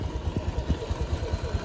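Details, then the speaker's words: Honda Beat injection, bored up, stock exhaust, after CVT service with rollers and clutch shoes cleaned: even, steady low idle with no rattle or scraping from the belt drive, now running smooth. "mulai sudah mulai halus"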